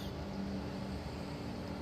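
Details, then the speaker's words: Power amplifier at full volume with music paused, speakers connected, after speaker-protector fix for turn-on/off thump: soft steady fan whoosh from exhaust-type cooling fan, faint low hum; no buzz or hiss, clean normal idle. "Nggak ada dengung, nggak ada ngeses apa-apa ya. Bersih. Ini adanya suara kipas."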